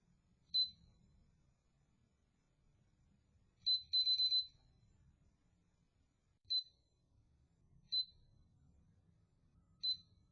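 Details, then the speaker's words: Winchester TS20-30 gun safe pinpad, bought 2022, that drained its battery monthly. Random short high beeps, single and in a burst of four, in a quiet room: the faulty keypad presses its own buttons and sometimes locks itself out. "I first noticed this when I heard it just randomly beeping I thought it was a low battery but it turns out after recording it with a security camera that it was just pressing its own buttons randomly"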